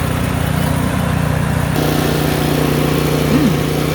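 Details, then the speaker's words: Craftsman snowblower, about 3–4 years old, driven forward and back with auger engaged: even single-cylinder putter dips slightly in pitch as load comes on, then holds steady; normal running under load. "I am satisfied that this thing is running."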